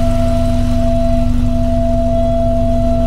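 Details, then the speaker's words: 1982 VW Westfalia with Subaru engine swap, warm idle about 675–700 rpm at 91°: steady high-pitched whine over a smooth idle from a noisy electric fuel pump. "But that sure is noisy, that fuel pump. I'm going to have to get a fuel pump that doesn't make noise."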